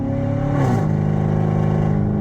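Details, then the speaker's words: Car with catalytic converters cut off and check engine light on, driving from a stoplight with extra throttle to pass; loud, deep droning exhaust rising in pitch, annoying and smelly; catless exhaust drone. "All right, I said that noise was tolerable. It's not tolerable. It's getting annoying at this point, and it smells."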